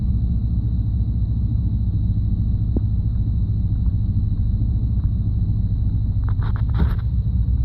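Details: 1991 5.7 TBI V8: low, lumpy idle rumble with irregular stumbles, random misfire at low idle with intermittent no spark on all cylinders; fine at higher idle.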